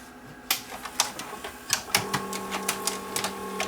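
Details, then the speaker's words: Panasonic PV-4361 VHS VCR: sharp irregular clicks over faint motor hum, capstan motor stuttering and eating tape; cause bad solder connections on the capstan driver IC, before resoldering. "that's the noise that the motor leaks and of course it eat my tape again"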